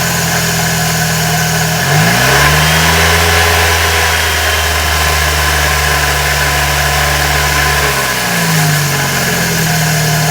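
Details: Scion xB engine revved several times with a harsh grinding from a worn water pump bearing.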